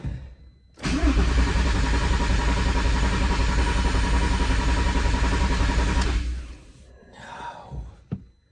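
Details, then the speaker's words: VW R32 that sat outside a long time, cranked after fuel lines reconnected and fuel restored: steady starter churn for about five seconds, engine never catches; it may have briefly tried to fire. "That was weird. That was the first time I heard like either it kind of try to or not. That was weird."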